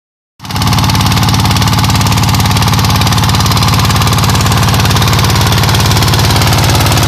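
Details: ZS125 single-cylinder diesel after the camshaft gear was reset to cure ticking and misfiring, run about a minute to warm up and clear deposits: it fires straight into a steady, even thump with no ticking or skipped beats.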